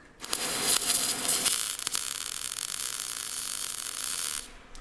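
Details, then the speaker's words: MIG welder, short-circuit gas welding, wire speed raised from too slow but still slightly too slow for the voltage setting: hissy, crackling arc with uneven sputter instead of a steady buzz. "and that was better, but we still need to turn it up a bit"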